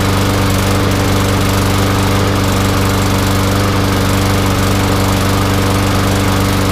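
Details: Newer MTD Yard Machines front-wheel-drive mower, newer Briggs & Stratton single-cylinder engine, after gas tank replacement (was a no-start with holed tank): holds a steady governed speed, clean unbroken beat, no surging; runs normally.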